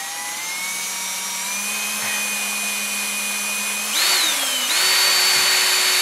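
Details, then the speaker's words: 1988 Jeep XJ 4.0 during a knock repair, oil pump primed with a 1/2-inch cordless drill on low: a steady whine that dips in pitch as the pump picks up oil and fills the rockers, then settles even; normal priming load. "it'll be spinning nice and easy without much stress then it will suddenly slow down as it pulls the oil and pumps it through the system"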